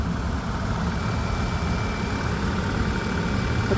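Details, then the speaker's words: 2005 Ford Five Hundred bought from auction, engine with apparently aftermarket coils: steady, even low idle rumble with no misses, knocks or ticks; normal idle. "The auction did say that it drives down the road. Um, so we'll see how it goes. Here we've got the motor. Motor sounds like it's running"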